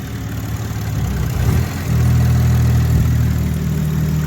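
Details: Big-turbo Toyota Supra with custom fuel system revised for low aux fuel pressure no-start, on battery tender, first start as lines re-pressurize: steady low idle that sounded weird briefly, swells after about two seconds then holds even, no knock or miss.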